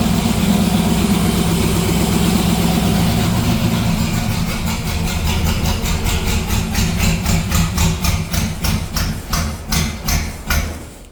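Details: '57 delivery V8 at idle with new exhaust (Neighbor Hater mufflers): deep loud burble with lumpy loping beat growing more distinct as it settles; normal idle, loud exhaust.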